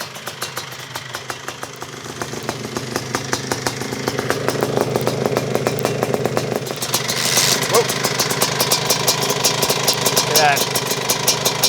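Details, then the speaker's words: 1987 Suzuki Quadzilla 500, 500cc two-stroke, rebuilt after engine failure, jetting not yet sorted: crisp, even crackle building as throttle opens and holding steady; healthy running. "now i can actually like ride it around it's like decent it's not easy to start but it's a lot easier to start than before"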